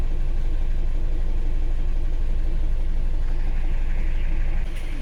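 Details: Isuzu Alterra diesel idling with a heavy, uneven slapping beat about four a second, misfiring with low power and check engine light after valve cover gasket and seal replacement; scan shows injector group B supply voltage low; two injectors not firing; fuel pressure okay.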